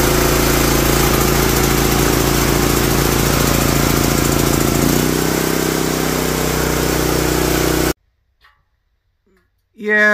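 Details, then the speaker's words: Honda GX340 engine from a generator, first start attempt with booster pack and choke on: runs rough at a fast lumpy beat, stumbling and surging before cutting out; suspected oil in muffler and mouse nest. "I would say that she's got some oil in the muffler and most definitely has some sort of mouse nest in it"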